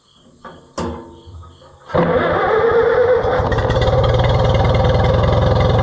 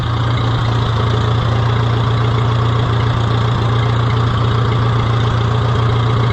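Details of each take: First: Oliver 66 tractor brought back to running after repair work: cranks, catches and settles into a steady, even idle with a low beat around three per second, smooth and healthy; normal idle. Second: Oliver 66 tractor revived and running again: low, heavy idle at about three beats a second with slightly uneven firing; rough idle, owner suspects the carburetor needs cleaning.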